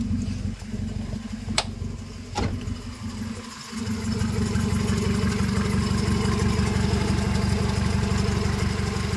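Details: Honda Civic with hard starting and sudden stalling, after clearing an ECT fault code and check engine light; after a few uneven seconds the engine settles into a steady, even low idle with no misses or knocks, runs normally.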